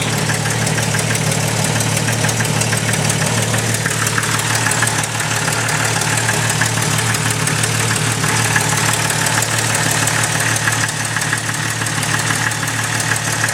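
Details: Jeep Cherokee 4.0L at idle, heard through a listening tube at the back of the engine: sharp even tick keeping time with the engine, deep-sounding; cheap OBX header gasket blown apart, exhaust leak, fixed with Felpro gasket.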